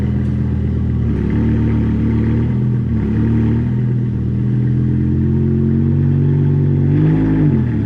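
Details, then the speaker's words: BMW E60 M5 S85 V10 on road drive after replacing cylinder 2 and 3 coil packs and the ionic module for a rough cold start and mild misfire; engine pulls smoothly as revs rise and fall, no longer rough; normal running. "Definitely tell it's smoother. It's just not as rough and rampant like before."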